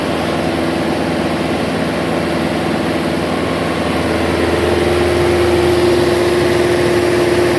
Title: Turbo Failure Fun